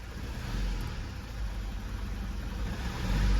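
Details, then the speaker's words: 2016 Mazda 3 2.2 Skyactiv diesel, off the road six weeks and running really badly. Lumpy, uneven idle that pulses and shakes, typical of a dead cylinder; misfire. "it's running really really bad at this point in time"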